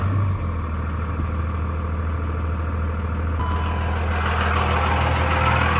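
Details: 2002 Dodge Ram 2500 4x4 with 5.9 Cummins diesel, six-speed manual, 113,320 miles: deep, even diesel clatter settling into a steady idle with no misses, knocks or hunting; a healthy engine.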